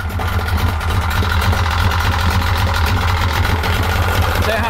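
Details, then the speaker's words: 1995 Yamaha 50hp (62F-80) two-stroke carbureted 3-cylinder autolube outboard idles with a rough, uneven beat and faint ticking, as if one cylinder keeps dropping out. Not firing on all cylinders; misfire at idle. "naksuttaa. Ei ihan käy kaikilla. Juu ei. Ei ihan pelaile."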